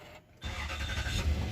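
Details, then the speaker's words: 2006 Lexus GS430 no-crank/no-start. The starter relay was not getting current. Started with the brake pressed: a short pause, a quick catch, then a low, even rumble; normal start. "अल्हम्दुलिल्लाह गाड़ी start हो गई है, ठीक है।"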